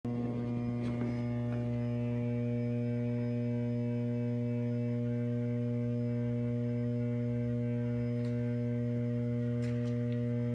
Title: =D06 Transformer T703 Bay VT Y- Ph. more vibration and abnormal sound -2 of 2